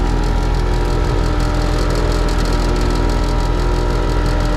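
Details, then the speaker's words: HVAC heat-pump condenser on a no-cooling call, compressor rewired at the contactor: steady low hum, runs evenly but isn't compressing, with suction and discharge pressures equal. "i know i can hear that compressor running lovely compressor is running but it ain't doing nothing"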